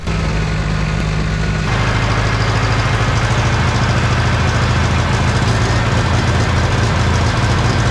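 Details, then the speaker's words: 1960 John Deere 1010 diesel after engine rebuild: a rough uneven clatter turns, about two seconds in, into a steady, even low beat after the injection pump timing is adjusted to cure smoking. Now running great. "wow that made a big difference look at that that is what I wanted to see that is running great"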